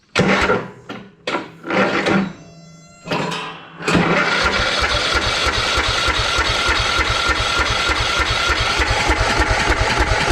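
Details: Troy-Bilt riding lawn mower, inherited after long storage (mold buildup), deck detached: spark confirmed; a few short starter bursts then long steady crank at about three pulses a second that never fires. Cranks but won't start.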